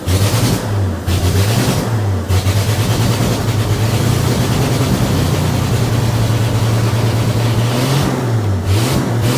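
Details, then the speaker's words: Old bullnose Ford 300 cu in inline six just converted from 1-barrel to 2-barrel carb; crisp blips rising and settling cleanly, no stumble, amazing throttle response, idle set too high. Normal free revving. "Wow, the throttle response is amazing."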